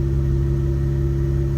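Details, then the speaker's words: Mazda RX-8 rotary idling smoothly with steady even drone after replacing a damaged spark plug; previously rough idle and heavy smoke, first suspected coolant seal failure. "now the car sounds way better it used to have a m byon Idol she sounds smooth right now she sounds really good"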